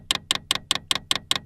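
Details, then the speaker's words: New portable diesel heater connected to battery, up and down keys held to prime: sharp even clicks about five a second, crisp and high, as the fuel pump pushes diesel through the line; normal priming. "and the down key, and if you can hear behind me that ticking, that's the fuel pump working, and you can see fuel going through the little fuel line,"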